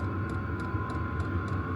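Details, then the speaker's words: Vevor diesel heater, about a year old, on a Bluetti AC70: crisp ticks about three per second over a steady fan hum. Normal fuel dosing pump clicking. "you can hear the clicking um that's just the fuel intake just a fuel pump you just click click click click click click"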